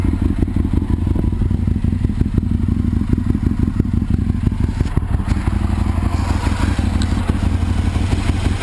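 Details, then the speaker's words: 2001 Aprilia RSV Mille R race bike, Rotax V-twin, 3200 km, new Power Commander and battery, loud heat-wrapped exhaust; fires and picks up cleanly on the throttle with a deep, lumpy rumble and no knocks or rattles, sounding healthy. "sounds like a beast it runs really good"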